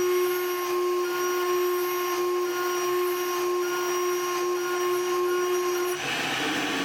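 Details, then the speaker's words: Shariff DMC2 CNC mill, 2 mm end mill at the maximum cut the tool tolerates, then an even heavier cut that breaks it. A steady high spindle tone with a hissing cutting roar holds pitch without bogging, then drops off. "that was a heavy cut for the tool and just for fun here's an even heavier one with two brakes"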